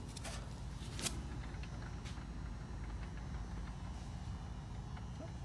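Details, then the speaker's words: 2012 Nissan Sentra rear wheel turning freely on a lift, good side with only a low, even rumble and no hum or growl. The bearing is healthy, unlike the opposite hub, which hums. "this is the side that sounds okay there's nothing wrong way let's see if you can guys can capture the sound"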